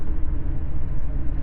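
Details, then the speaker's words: Car with a deep, pulsing, helicopter-like drone from the front end that swells when coasting after lifting off the throttle; wheel hum. "Gazdan ayağımı çekince yine aynı şekilde. Helikopter sesi gibi. Aynen helikopter sesi gibi. Ses geliyor."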